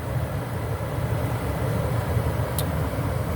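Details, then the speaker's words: 2006 American Standard Freedom 80 Comfort R (Trane) furnace, flood-submerged, after gas valve, igniter and control board replacement: steady low blower motor hum at even pitch with no scraping or rattling; blower running smoothly. "I hope you will be able to fix the furnace like I did and you can hear the [Music] blower motor c'mon"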